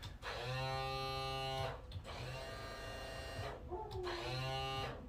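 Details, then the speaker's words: 2011 Pursuit 345 Offshore with twin Yamaha F350 outboards, complaint of no trim or tilt on either motor: three bursts of steady electric motor hum starting and stopping cleanly; the trim/tilt pump motor runs but moves nothing. "customers saying we have no trim and tilt in either motor so let's push the button and see if they do anything"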